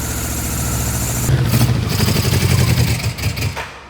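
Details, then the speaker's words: Barn-find Yamaha Vmax just started for the first time in years, running without an airbox and smoky: lumpy, uneven beat that rises and sags on the throttle; rough cold idle, still wants choke, though improving. "It still wants choke, but well. Sorry. I mean, for not having an airbox, it's not bad."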